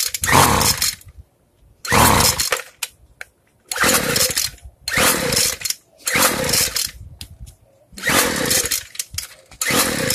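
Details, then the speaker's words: Free two-stroke weedeater, low-speed carb screw opened too far while adjusting: short ragged blubbery rev bursts instead of crisp; running too rich, screw then closed back down. "Alright, so I gave it too much. So now we're going to loosen it, or tighten it down, I should say."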